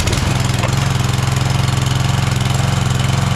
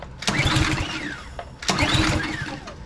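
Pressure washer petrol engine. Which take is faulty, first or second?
second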